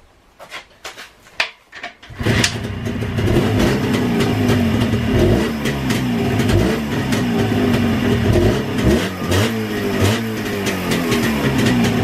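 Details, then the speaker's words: Rebuilt JAWA/ČZ 360 two-stroke motorcycle engine after restoration: catches after a few cranking tries, then crisp even idle with clean throttle blips, running healthy. "вот движок работает просто красота ну просто красота"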